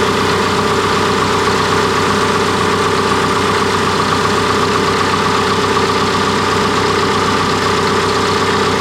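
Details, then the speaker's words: Cat D3K2 dozer diesel, complaint of rough running, power loss, RPM fluctuation and white smoke: steady, even idle with a smooth rumble, no misses or knocks; DPF soot load reads 12%, so DPF not sooted up. "There is no ash reset, so I'm just gonna go ahead and we're just gonna fire up this dozer and see what it does, and see what the soot load percent does once it's running and everything is on."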